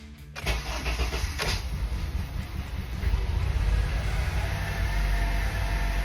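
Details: 2003 Acura RSX just after fuel pump replacement, key cycled to prime: brief crank, then engine catches and settles into a steady, even low-rumble idle; starts cleanly.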